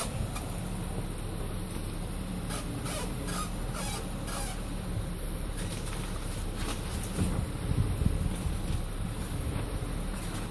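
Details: 2008 Nissan Maxima while driving: irregular high-pitched creaks and squeaks over road rumble, seemingly from around the driver-side front wheel.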